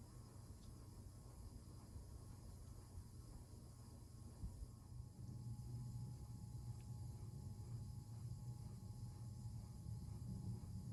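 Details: Hampton Bay Carriage House 1 hugger ceiling fan, about 1999–2000, switched from low to medium: steady low buzz grows noticeably louder after the speed change; motor buzz much worse on medium.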